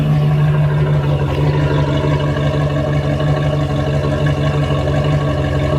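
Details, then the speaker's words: Chevy Z71 farm truck with a used engine, dark burnt-smelling transmission fluid and low oil pressure when warm: deep, loud V8 idle, lumpy and slightly uneven, possibly missing a little; rough idle, cause unconfirmed. "Somebody told me it doesn't sound good, but I think it sounds like a big block. Sounds like it's cammed out. It may be missing a little bit, but it runs."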